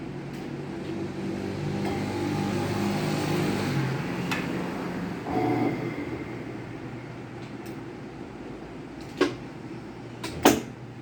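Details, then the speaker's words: Whirlpool washing machine that would not spin, after repair, with bearings also damaged: motor hum settles, then sharp clicks as the actuator shifts into spin. Normal actuator shifting. "the actuator is making some changes that the piece that did not work"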